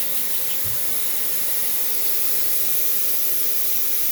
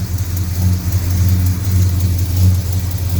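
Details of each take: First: Mopar engine with headers, engine off, a vacuum blowing air up the exhaust pipe. Steady airy hiss at the manifold-to-head joint, with soapy water showing the blow: an exhaust manifold leak at the heads. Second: Mopar V8 idling after new header gaskets and a welded header repair, no H-pipe or X-pipe: deep, even burble with no ticking or puffing. The exhaust is sealed and much quieter than before.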